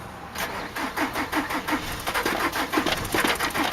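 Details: 2003 Nissan Altima 2.5 with a blown engine, sitting 8 months, jump-started: uneven, weak starter chugging about three beats a second that never catches; won't fire for lack of compression, flywheel reportedly bad.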